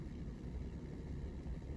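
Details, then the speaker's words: Chuwi RZBOX AMD Ryzen 7 mini PC at light use after reseating the memory cured a crackling coil-whine-like noise: only a low, soft, even hum, no sizzling or grinding; quiet and healthy. "ねまあたまにか深くかけるとねファンが回り出したりする音はするんだけど通常はねこんな感じでね静かですんでね"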